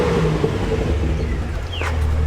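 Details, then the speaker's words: 2009 Holden VE Commodore 6.0L V8 after replacing a broken pushrod, with compression on all cylinders: a deep rev that climbs cleanly with no miss or stumble and no engine light. Runs smoothly; repair fixed. "and hopefully with the new push rod and compression on all cylinders, sounds smooth now, no miss, very smooth, no engine light."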